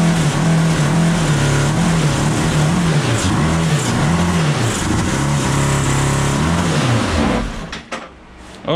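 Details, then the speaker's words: 1982 Honda CB750 DOHC four-cylinder cross kart engine, after coil change: repeated revs with flat, lumpy, uneven beat, some cylinders not firing; inner cylinders' headers cool, outer hot, owner suspects bad ignition module. "so we hadn't learned a whole lot so the inner ones are still i can touch them so maybe a bad ignition module"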